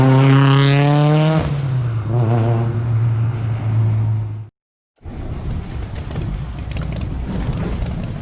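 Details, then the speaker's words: Built 2.3L 4G63 Mitsubishi Evo (GSC S3 cams, 2150cc injectors, Garrett turbo, E85, 650hp) idling warm after titanium exhaust modification; deep, steady, even exhaust drone with no misfire or rasp, seemingly a little quieter than before; normal clean idle. "kind of sounds a little bit quieter i mean i certainly love especially with the 85 and the cams once it warms up it smooths out a little bit but the butter sounds good"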